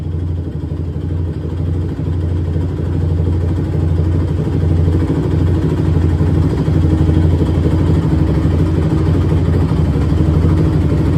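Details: 2006 Honda TRX450R, stock exhaust, after valve adjustment, carb clean and tune-up; owner reports bogging and dying when hot. Single-cylinder fires up, runs even and steady, picks up on throttle with no misses or knocks; normal start and revving.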